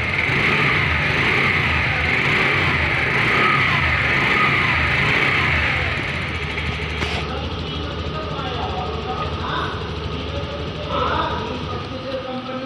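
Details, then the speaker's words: TVS Jupiter BS6 scooter idling steadily, then cuts out about seven seconds in when rocked and won't restart until key cycled; fuel pump suspected; engine stalling when rocked. "हमारे इस गाड़ी में problem आ रही है कि जैसे start करते हैं गाड़ी को हिलाते हैं तो हमारी गाड़ी बंद पड़ जाती है"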